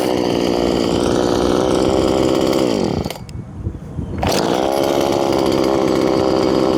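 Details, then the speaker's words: Poulan 2500 Farmhand (2900 equivalent), converted to .325 chain from 3/8 low profile, cutting: high-revving steady buzz through the cut drops briefly when throttled off, then picks back up cleanly. Normal running under load. "But whatever, it runs good and it's perfectly acceptable."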